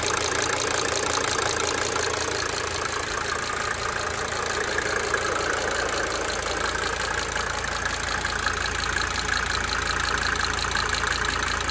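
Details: 1992 Mercedes-Benz 300D 2.5 turbo diesel idling for several minutes, brief talking at start; even idle with a light, regular ticking that fades in and out: cyclic injector ticking at idle.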